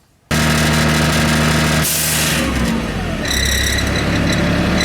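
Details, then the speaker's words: 2004 Freightliner school bus, Cat C7 diesel, after leveling valve repair fixed a rear hissing leak: steady idle, then a short sharp puff of air as the air dryer release valve purges at 125 psi system pressure; normal cut-out. "the release valve on the dryer has released air so we have reached 125 psi so we have system pressure right now"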